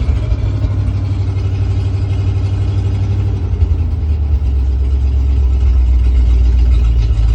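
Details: 1968 International Loadstar, 392 V8, just started after tapping the float bowls, choke on: deep idle that surges and sags as if about to die. Idle and gas pedal linkage need adjusting. Unstable idle.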